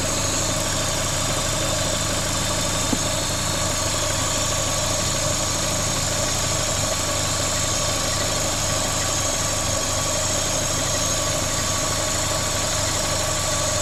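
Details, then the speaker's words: Vauxhall Corsa VXR at idle, engine replaced the week before: loud constant airy hiss over the engine note, bogging on acceleration with engine light on; vacuum leak traced to a cracked cam cover, replaced. "It's quite a loud vacuum leak, so it should be pretty easy to find."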